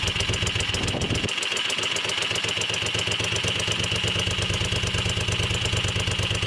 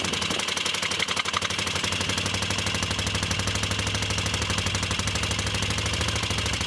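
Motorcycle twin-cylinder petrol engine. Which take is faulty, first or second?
second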